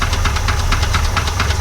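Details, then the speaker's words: 1965 Chevrolet junkyard truck engine at idle just after first start, oil pressure building: steady idle with a light regular knock ticking several per second, improved from initial hammering but still knocking; cause not confirmed. "It's still got a little knock."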